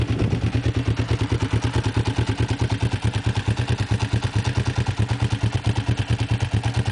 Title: Bruit moteur GPZ